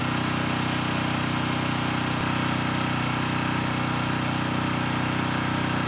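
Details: Coleman Powermate Pulse 1850 generator, about 23 years old, after fuel-system and carburetor repair (previously ran rough). An even, steady small-engine drone with a regular beat and no hunting or misses; normal running.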